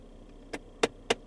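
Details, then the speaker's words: 2015 Ford Fiesta SE, about five years old; sharp regular clicks about four per second from the recirculation (fresh/recirc inlet) door actuator skipping gears when driven to closed position; opening works fine; actuator failed. "there it is so when it goes into a closed position that is where we have our problem"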